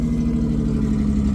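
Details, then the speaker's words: Honda Odyssey with 208k miles, started on a jump pack with an almost full tank: smooth, even idle hum with a steady low tone, no knocks, misses or rattles; sounds good. "sounds good that's a Honda for you"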